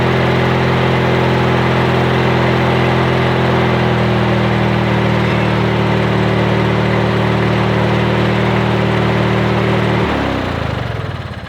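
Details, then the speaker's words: Yard Machines/MTD lawn tractor, 20.5HP Briggs & Stratton twin, after new starter, solenoid and battery: steady, even drone at constant speed for ten seconds, then clean shutdown; runs healthy, no-start fixed. "should we put the new starter on new battery and problem solved it starts up that engine sounds really good"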